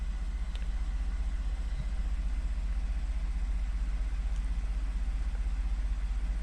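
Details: 2014 Ford F150 3.5 V6 EcoBoost, ~91k miles, after new plugs and coil packs fixing P0303 cylinder 3 misfire (bad coil pack): smooth even idle, steady low pulse, no stumble or miss; normal idle, zero fault codes.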